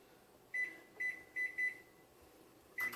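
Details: Microwave set for 15 minutes; four short high keypad beeps then one start beep in a quiet room; normal keypad and start beeps.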